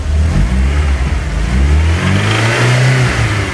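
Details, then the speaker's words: VW Golf GTI at tickover, later found to have a failed bottom end: a loud low drone with an uneven, lumpy thump, consistent with bottom-end knock. Used as a comparison for a suspect engine. "To give you an idea this is what the engine sounded like on our Golf GTI that turned out to have a failed bottom end."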